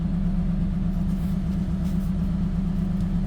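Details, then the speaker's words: Gen 7 Toyota Celica after new Denso fuel pump, OEM filter and new regulator: smooth, steady low idle with no dips or hunting, not trying to stall; owner thinks it is relearning fuel trims after ECU unplug. Normal idle. "I mean, it's not trying to stall out and die."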